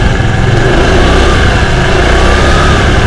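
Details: Honda Vario 110 scooter after water pump mechanical seal replacement (coolant had leaked into the oil, turning it milky, and the overheat light came on), coolant refilled, running about 5 minutes for a leak check: loud, even idle with no tapping or grinding; healthy.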